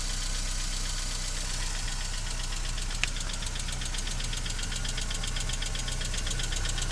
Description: klekot na zimnym silniku, czasem przestaje co slychac na filmie, po dodaniu gazu znowu to samo przez jakis czas